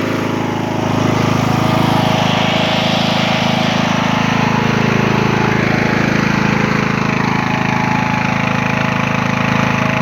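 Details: Poulan XT (Husqvarna) 42-inch lawn tractor, Briggs & Stratton 16.5 hp 500cc engine, mint condition, just started on choke: steady even single-cylinder drone at constant pitch, no knocks or misses; normal healthy running.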